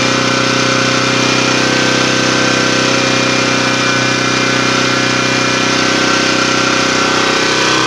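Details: Yasuka generator engine that had long been unused, revived with a damaged crank pull-start, running during an electrical output test: a steady, even drone at fixed pitch with no misses, knocks or surging. It runs smoothly.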